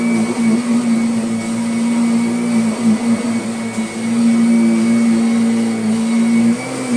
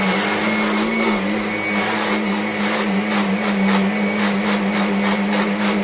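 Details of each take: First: Kirby Sentria 2 vacuum on carpet after replacing the very slack tech drive belt that caused odd noises: steady, even hum with a constant motor tone and no clatter or slipping; the drive runs normally. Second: Kirby Sentria 2 vacuum, used often: steady motor roar with a rhythmic rasping catch each time the stroke reverses forward to back, suspected from the tech drive; the tech drive belt is very slack, to be replaced.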